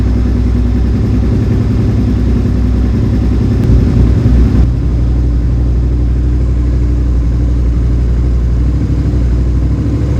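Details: Suzuki SV650S carbureted V-twin during carburetor synchronization: deep, even burble holding a steady pace with no hunting or misses as sync is adjusted in; normal healthy idle.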